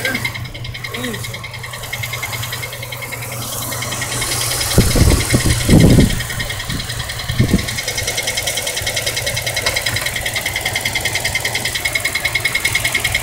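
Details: 2003 Dodge Durango with a used replacement engine: fast, light ticking at about three per second over a smooth idle, with a few louder thumps. The owner later found low transmission fluid, and topping it up cured the noise.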